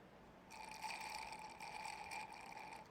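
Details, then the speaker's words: Harley-Davidson M8 Softail, GP Suspension front fork install: a thin hissing suck with a faint whistle as air is drawn in at the set fork oil height (set at 160 ml, measured from the top of the cartridge bolt), which marks the end point after slight overfilling. "That's coming to the end of the top. or to the bottom of this 160 milliliter where I set it, so you can hear the air sucking in. There's no more fluid being pulled out, so that's going to be where our end point is for the height."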